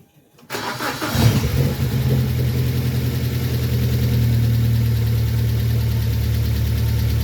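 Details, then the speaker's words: 2006 BMW 1 Series E87 N45B16 1.6 engine, first start after replacing the hydraulic lifters and refitting the cam cover: cranks, catches, idles with a light fast tappety clatter that fades as the lifters fill with oil. "so I complete the story here you may notice when it started it did sound a bit taffety um that went off after a while I think that was just a matter of the hydraulic lifters filling with oil and taking up the gap"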